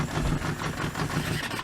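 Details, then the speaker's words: Kawasaki Z650B four-cylinder with rebuilt carbs, mic behind engine: ragged lumpy idle on three cylinders that sags and stalls within seconds; priming number one carb restores all four; misfire and stalling at idle. "it dies it won't idle when it's only on three cylinders"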